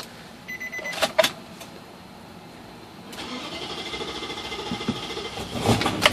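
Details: Nissan Titan that floods badly and puffs black smoke while running, owner suspects a dead fuel pump: short cranking, then it catches and runs roughly for a couple of seconds before faltering and stalling; cause not confirmed.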